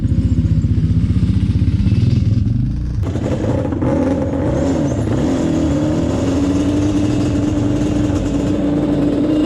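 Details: Yamaha Banshee 350 two-stroke twin on a test ride after carb sync and rejet; revs hard then drones without clearing out up top; poor top-end power, main jets believed too rich at 178, going down to 160.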